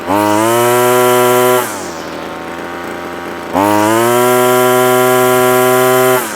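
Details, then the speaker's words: Two-stroke line trimmer fitted with a cheap aftermarket carburetor, warmed up, trimmer line cut back: revs cleanly to a steady high pitch, idles a bit high, picks up without hesitation; running healthy. "nothing wrong with that that's good it's revving a bit High now it's warmed up"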